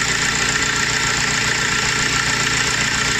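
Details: Audi A4 B7 or VW Golf 4/5, Seat or Skoda engine idling with a loud, steady high-pitched whirring rush; the noise is caused by the alternator, later repaired.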